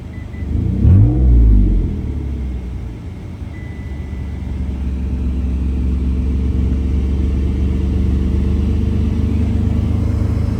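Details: 2008 Mitsubishi Outlander XLS on a cold start: a quick rev flares into a deep, rough rumble that stays loud and hollow at idle, from an exhaust leak.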